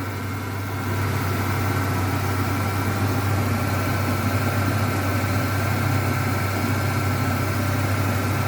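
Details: Ford Ranger at idle, loud power steering pump (71 dB before) one day and about 120 miles after adding friction-reducer additive: steady idle with a faint constant high whine on top; power steering pump whine still audible.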